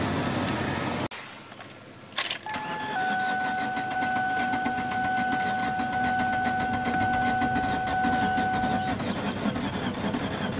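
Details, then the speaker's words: 2003 Ford Taurus, long unused, started on ether spray: short crank, catches and runs unevenly about six seconds then dies; owner suspects the fuel pump isn't working, no fuel. "Yeah, it'll run a little bit off the ether and then that's it. I think that fuel pump's just not working."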